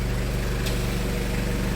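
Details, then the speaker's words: 1994 Toyota Hiace Super Custom van, 3.0 L turbo diesel, 2WD, very low miles, idling in park after a cold start following a day's sitting: even, regular diesel clatter with no misses or knocks; healthy. "put it in the park and you can have a listen of the turbo diesel engine it's incredible"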